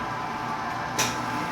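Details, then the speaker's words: Italian-style soft-serve ice cream machine that had only hummed without starting, now repaired: a short click and surge, then a steady low mains hum as the compressor starts normally and begins cooling. "ó ó até partiu compressor já ó tá vendo aqui se partiu compressor ó já começou a gelar"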